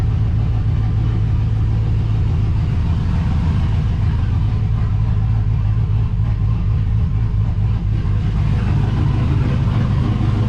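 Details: GMC Sierra 5.3 LS V8 (stated as 2005 or 2006) idling on first startup after a broken lifter was fixed with a BTR Truck Norris cam and LS7 lifters, no muffler: loud, steady, even rumble, no ticking or knocking, lifters quiet; healthy.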